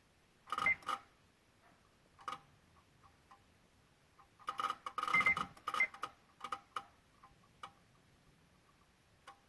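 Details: 2016 Honda Odyssey with Engine, VSA, LDW and FCW warning lights on: with the engine off, irregular sharp clicks, some in quick pairs, from near the PCM and VSA control module; cause unknown.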